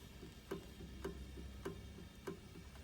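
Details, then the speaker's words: John Deere 6175R tractor under warranty repair: the lowering solenoid is connected and energized and gives sharp, even clicks about every 0.6 s, but the hitch does not lower. Solenoids are suspected of sticking, not confirmed. Repeated solenoid clicking. "соленойд нас срабатує ну трактор не опускається"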